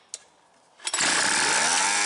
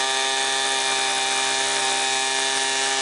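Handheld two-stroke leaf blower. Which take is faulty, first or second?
first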